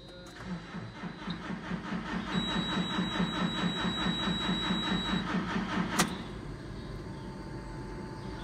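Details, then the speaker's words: JCB with recurring problems, owner suspects blocked filters and considers the fuel rail sensor: rhythmic pulsing about twice a second with steady buzz and fast high ticking from a component at the top, left buzzing. "can you hear it buzzing is it buzzing that thing at the top I'll leave it buzzing for a minute"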